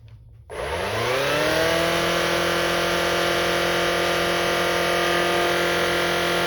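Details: Shark Rocket Pro UZ145 cleaner head that previously spun up then shut off (red light), after clearing debris from the brush roll bearing area: motor spins up within a second to a steady, even whine and holds it; fixed.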